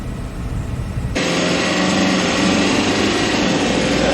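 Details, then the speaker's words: 2006 Ford F-150 near 200K miles, oil drained out and engine condemned, driven in drive against the brakes. Loud roar under heavy load with a hard rhythmic knock pounding through it: an oil-starved bottom end failing. "I don't know if this makes enough power to get the brakes hot knock is angry"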